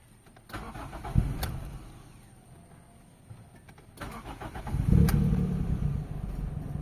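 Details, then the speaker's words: Toyota Corolla GLI with 4A-FE engine, previously low power, stalling and bucking when shifting: after a new fuel pump is fitted, short crank, pause, second crank catches and settles into a steady idle; normal start. "So ayan mga bossing ah umaandar na tayo mga boss."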